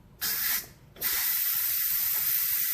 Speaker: okay the steam is gonna come out to always make sure there's nothing on the top of the está pot